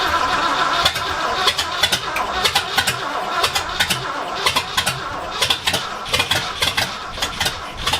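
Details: 1979 Ford F-250, brand-new 351M V8 first start on essentially open headers/exhaust manifolds: loud uneven popping and crackling, no steady rhythm, near stalling, and it later died; owner suspects timing not right and carb gummed from storage.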